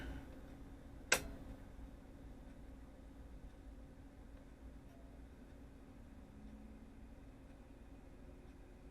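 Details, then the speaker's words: Replacement cooling fan for a radio transmitter exciter, bench-tested: a faint, steady low hum with no rubbing, ticking or bearing growl. Its bearings run quiet, unlike the noisy original fan. "fan is running and air is coming out the holes on top that's exactly what it's supposed to do and most importantly it's quiet no noise that means these bearings are much better than the ones in my other fan"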